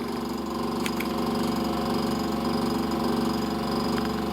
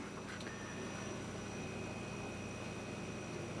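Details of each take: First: A loud, buzzy motor hum with a steady pulsing wobble from the condenser fan motor on a KitchenAid side-by-side refrigerator freezer, heard with the back cover removed; the motor had become noisy and was replaced with a new motor and fan blade. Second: KitchenAid side-by-side refrigerator freezer after replacing the noisy condenser fan motor and fan blade: quiet, steady hum with faint even tones and no knocking, a normal-running fridge.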